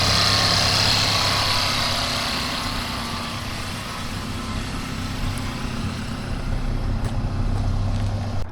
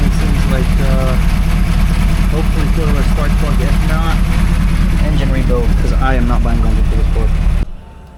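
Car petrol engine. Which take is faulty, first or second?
second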